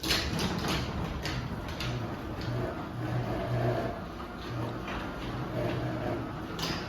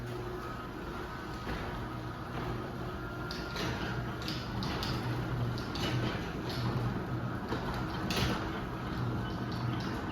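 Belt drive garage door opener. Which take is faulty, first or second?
first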